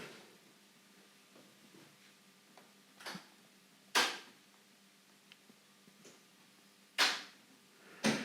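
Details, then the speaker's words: Tri-ang Hornby model railway crossover point motors being thrown after a retry, having first failed, with loose cabling suspected. Quiet room with sharp solenoid snaps a few seconds apart; each throws cleanly and fully. Normal point motor throw. "sounded more reassuring. Let's have a quick look. There, we got it that time."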